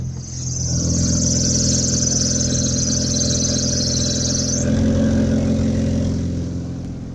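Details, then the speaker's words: Drive/alternator belt squeal: sharp high squeal over the engine when pulling at low revs after a gear change, cutting off abruptly; belt slips under load. "также может быть звук посторонние при в натяг когда вы переключаетесь то есть низких оборотов двигателя пытается вытянуть соответственно тогда ремень так же срывается"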